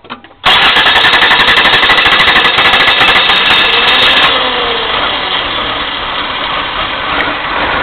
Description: 1989 Chrysler New Yorker Landau - 3.0L V6 having trouble starting.